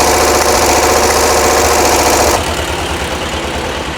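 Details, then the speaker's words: 1982 VW Vanagon after a fuel injection delete and single 38mm carb conversion: a rough, uneven idle with a regular pop three or four times a second from a front-side cylinder; owner suspects a valve sticking open that needs adjusting. "that was me I don't know if you can hear the popping you probably can we have a cylinder on the front side that is not happy um that's that high pit pop pop pop so valve issue maybe out of hanging sticking open to to adjusted"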